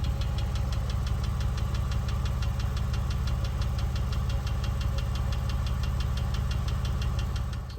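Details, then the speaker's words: Porsche 996 3.4 M96 engine at operating temperature: steady even tapping about three per second over idle; shop says common on early M96, may have no single source, possibly long timing chains with weak tensioners. Suspected internal engine knock, cause unconfirmed. "said that you know the m96 well the noise is this is reasonably common actually on the early 96 engines for them to do that"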